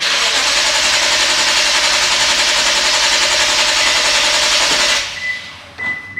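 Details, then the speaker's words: Lexus GS F, cranking after remote starter install: the starter turns steadily about three and a half beats a second for five seconds but never catches. Fault traced to the 7.5 A DCM fuse in the trunk. "I followed directions to the T, and I tried to start this guy up and he wouldn't start."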